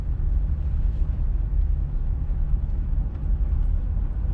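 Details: 2020 Jeep Gladiator Rubicon, 40K miles, on a test drive after fixing a multiple-cylinder misfire traced to a dead cylinder 2, with long-term fuel trims at 0: a steady low drone under road rumble with no stumble or miss. Running normally.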